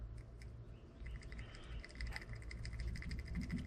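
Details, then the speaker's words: 1998 Jeep Cherokee XJ drag link rod end from the pitman arm, about a year old and greased, worked by hand off the vehicle: irregular knocking and clicking play; the joint is worn out from the steep drag link angle and being replaced. "I don't know if you can hear that it's got grease in it but it's it's loose as all get out it's wore out"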